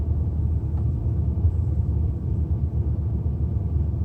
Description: My 2005 E87 N52 130i Msport misfire at idle. No codes. Poor Mpg.